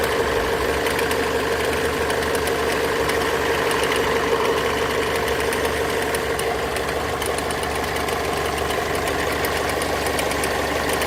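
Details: Mazda 6 MZR-CD 2.2 diesel idling: dry relay-like click roughly three times a second over the clatter, more frequent with electrical load (lamps, fog lamps) on; owner suspects alternator free-wheel/loose pulley, unconfirmed.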